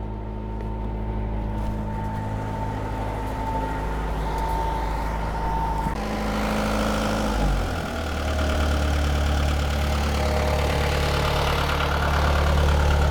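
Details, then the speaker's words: Perkins 4.108 four-cylinder marine diesel started for the first time in about six years: it starts right up into an even, steady idle that deepens smoothly under load, no knocks or misses; oil pressure and temperature are good. "sounds good oh that sounds great started right up too I haven't ran it in five years or six years"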